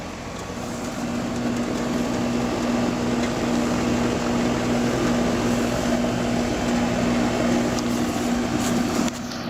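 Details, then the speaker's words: AC outdoor condenser after compressor failed to start (4-blink locked-rotor code) and its capacitor was checked, thermostat calling for cooling: steady even fan whir over a smooth compressor hum, no rattles or surging; normal running. "Sounds better. Fans on. Compressor's on."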